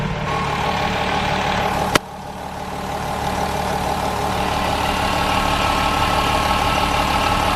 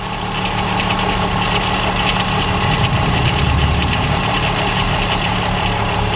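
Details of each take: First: VW Golf 4 VR6 2.8 L V6 after in-car timing chain replacement for chain noise: even, settled idle with steady drone, no rattle from the chain end; quiet and healthy. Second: VW Golf 4 2.8 VR6 idling: fast, loose metallic rattle over the engine hum from a worn timing chain; it gets worse as the engine warms and is becoming clearer. Chain to be replaced in the car.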